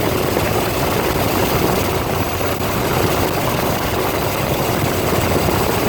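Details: Ford 302 V8 driving an air compressor, after a tune-up with new plugs, plug wires, cap and rotor and a new fuel pump; steady, even rumble with no misses, knocks or rattles, running smoothly.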